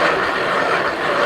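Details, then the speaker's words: Worn e-bike mid-drive motor with a little side-to-side play: a rough, gritty grind runs evenly as the crank turns. The noise means the motor needs urgent attention, repair or replacement. "now if you're riding your bike your ebike and it's making that noise it's a Bosch motor or a Shamano motor then that is something that needs urgent attention"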